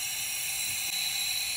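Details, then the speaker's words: 2005 Ford Super Duty 6.0L diesel, hot no-start with low ICP, high pressure oil system air test with shop air, engine off: steady loud hiss of air leaking past the IPR valve because the solenoid is not engaged, as expected. "turn on the shop air okay and you can hear you can hear air leaking right now that's because we don't have our solenoid engaged"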